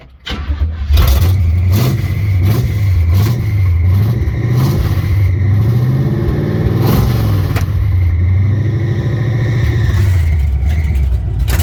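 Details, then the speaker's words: 1970 Chevrolet C10 truck, first drive attempt after many years: starter cranks slowly for many seconds but the engine never catches even after gas is poured into the carb; no fuel reaching the filter, gas tank found clogged — fuel starvation. "still don't feel in the filter could dump some more gas in the car hopefully he picks it up well after about something for a little while I figured out that the gas tank was clogged"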